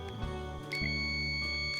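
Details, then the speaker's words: Pumpkin electric drill trigger switch tested with multimeter continuity beeper: steady high beep about a second while trigger held, then stops; switch contacts close properly, switch works normally. "ถ้าเป็นแบบนี้นะครับแสดงว่าสวิตซ์ตัวนี้ยังใช้งานได้ตามปกตินะครับ"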